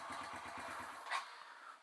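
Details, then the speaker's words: Kawasaki KLX140 big-bore top-end rebuilt to KLX170, hot after running: weak, uneven putter that dies out; harder to start than before, idle stalls from incorrect carb mixture, later fixed by adjusting the mixture screw. "you go died again maybe I want to increase the idle more but I am noticing it is harder it's having a harder time starting than it was before"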